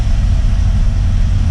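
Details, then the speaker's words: Ford F-150 V8 after no-start diagnosis and replacement of parts including the fuel pressure regulator: fires right up into a deep, even idle with no misses, knocks or ticks; normal idle. "Runs great, runs smooth now that we've replaced a lot of that stuff."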